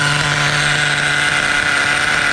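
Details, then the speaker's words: Vintage 2003 Schumacher Menace 21 1/10 nitro truck, hex-drive started, running healthy: a high, steady buzzing idle faster than it should sit. The carb idle is set too high and will be lowered via the idle set screw. "all right the carb is a little on the high side I'm gonna have to lower the idle a little bit longer sounds healthy"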